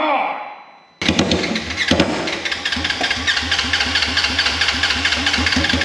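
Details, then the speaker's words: Wrecked 2016 Polaris RZR 900 S, injectors hand-cleaned: loud unmuffled engine chugs unevenly at low speed, stumbling and struggling to stay running; owner blames injectors, needing professional cleaning or replacement. "I think I need to get some injectors or I can find somebody to see if anybody locally can clean injectors but it says injectors for sure"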